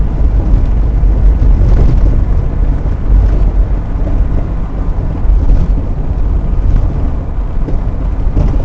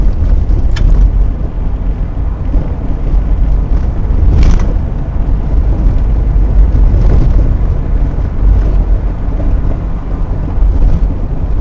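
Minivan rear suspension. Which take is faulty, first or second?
second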